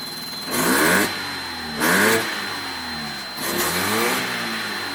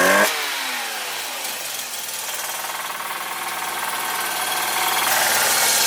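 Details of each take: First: 1985 Mazda RX-7 GSL with carbureted 12A rotary, hot, after leaning the mixture a further half turn: a few quick blips, then a fairly even, steady idle; now healthy. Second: 1985 Mazda RX7 GSL rotary after mixture and idle screw adjustment (idle had been very low): rough, uneven idle with a hissy, ragged, stumbling exhaust beat. Owner suspects it runs on one rotor and plans to clean the spark plugs.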